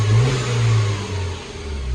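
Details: Mini Cooper S salvage rebuild, turbo petrol engine with a new auxiliary belt and a second-hand turbo water pump, revved: smooth swell and fall, no misfire or knock; sounds healthy despite a P0036 downstream oxygen-sensor heater code and earlier popping.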